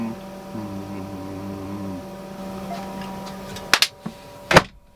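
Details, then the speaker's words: Newly installed diesel heater in a camper, running with the vent cover closed; steady low harmonic hum, a bit louder than the owner is used to, fan running normally; normal running hum the owner can sleep with. "A little bit louder than I'm used to. It has a hum. Just kind of has like a harmonics hum, like a"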